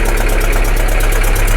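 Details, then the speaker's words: Bedford CF van diesel revived after being abandoned: heavy uneven idle with steady knocking, running on about three and a bit cylinders, with heavy crankcase blow-by from the dipstick. "I mean I think that's about three and a bit cylinders"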